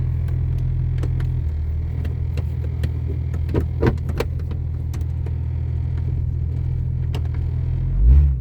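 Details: 1996 Jeep Cherokee XJ on first drive after front axle install, in 4-low: low engine drone under irregular sharp clunks and rattles while moving; rough four-wheel-drive drivetrain noise, fine in 2WD, source not pinned down.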